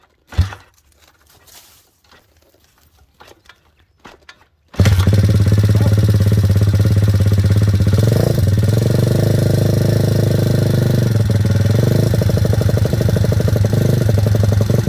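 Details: Welsh Pit Bike WPB 170 Detroit single-cylinder pit bike, not started for over a year, on fresh fuel with choke on after four faults were fixed: it is kick-started and settles into a steady, even thump around three beats a second, running cleanly.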